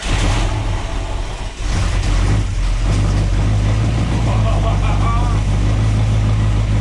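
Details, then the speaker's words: Idle of a 1967 Ford Fastback 289 V8 just after a new cam was fitted, first run after revival, with very high oil pressure. Steady, deep, surprisingly ballsy idle with an even beat and only a faint lifter tick on top. Sounds healthy. "that new cam sounds it makes it that 289 is surprisingly ballsy sounding"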